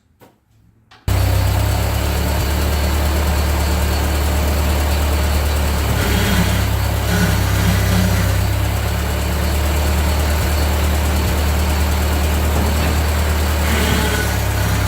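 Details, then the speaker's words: 1945 Ford 2N loader tractor after loader repairs: steady, even low drone with no knocks or misses; it smokes somewhat but revs up and runs nicely, loader working. "Oh, it does smoke. Hey, it goes high. Hey There. Yeah, it does run nice."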